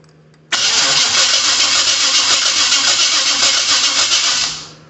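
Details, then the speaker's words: 1972 Chevy truck under restoration starts and settles into idle with a quick, light ticking of about 220 a minute on top; owner says one or two valves still need adjusting. "I do have a few more valves I need to adjust prob probably one or two but um I uh that's okay um it's not a big deal overall"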